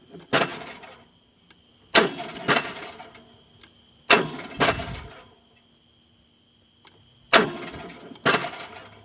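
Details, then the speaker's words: Onan RV generator that won't start and gave an electrical-or-oil code: short, harsh cranking bursts that never catch. It is not dry-locked; the fault was traced to a broken shaft bearing. "so we have a generator that will not start although it sounds like it is working perfectly and just won't get going so here's what it sounded like originally"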